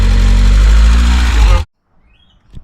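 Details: NA Mazda Miata MX-5 after replacing a broken crank angle sensor that caused crank-no-start: deep, steady low rumble for about a second and a half, then cut off; engine runs evenly with no misfire.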